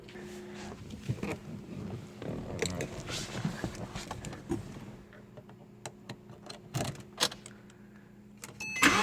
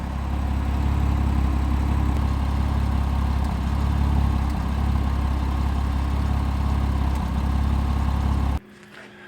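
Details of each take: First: 2007 Porsche Cayman base 987 after replacing spark plugs and coil packs (cylinder 4 coil had water and misfired); engine catches, fires up, quick revs rise and fall cleanly with no stumble: normal running. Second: 2007 Porsche Cayman 987 base idling with a light single-cylinder misfire, occasional brief stumbles in a steady low idle; water got into the fourth cylinder coil pack, plugs and coils to be replaced as the hoped-for fix.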